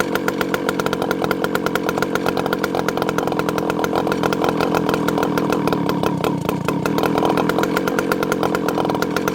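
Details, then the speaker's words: Rebuilt ported 064 after replacing a bad carburetor whose low jet wouldn't tune: revs high and steady then drops back quickly and consistently to a clean even idle; new carb tunes, going from too rich to too lean in 3/4 turn. "So my hypothesis was correct. It had a bad carburetor on it. Yeah, awesome. Notice it goes back down to idle very consistently, very quickly. It idles nicely."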